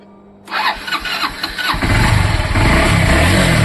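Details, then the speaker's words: Honda Livo/Twister single-cylinder bike after engine rebuild with new crank set and bearings, morning start on a foggy day: starter catches and settles within a second into an even, steady idle, no knocks or rattles; zero noise. "ये देखिए आवाज सुनिए आप। तो friend, zero noise है, zero."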